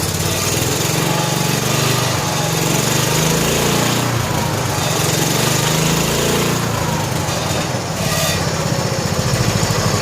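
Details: 1970 John Deere H3 garden tractor, single-cylinder, after blown head gasket replacement, cold evening (about 47-48°F), old oil, idle set slightly high: even, steady chug with no skips, knocks or hiss; running healthy.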